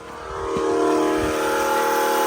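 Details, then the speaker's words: New Holley black fuel pump replacing a Holley blue in an LS-swapped carbureted Chevy S10, on a 7.5 A fuse: the pump spins up to a steady, even prime hum with no surging; no leaks and fuel pressure good. "Nope. All dry. Yeah. Sounds like it's good to go."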